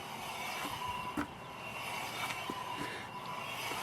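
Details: Car at 82,000 miles, wheel spun by hand on ramps: continuous gritty rasp with light clicks though no play felt; worn wheel bearing, previously mistaken for tire hum.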